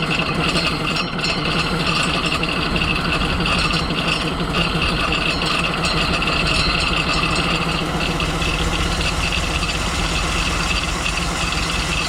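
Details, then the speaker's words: 1988 school bus left sitting for years, running at idle before dying: constant crinkly metallic rattle, owner suspects broken teeth loose inside the flywheel housing; fireball shot out, no starter fluid used. "I just had it idling and then a big old fireball shot out of here after it died I couldn't keep it idling uh but I didn't use any starter fluid so there's a bunch of crinkling crunching around"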